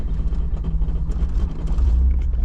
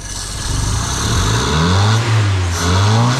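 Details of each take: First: 60-year-old vintage Toyota JDM car, started cold after sitting a couple of weeks: deep, lumpy rumble surging and sagging unevenly; has been cutting in and out and running rough, carburetor suspected, not confirmed. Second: 60-year-old vintage Toyota JDM rear-wheel-drive car after carburetor rebuild and reassembly: engine climbs smoothly through a couple of revs, then drops back to a steady, even idle; idling nicely, running much better.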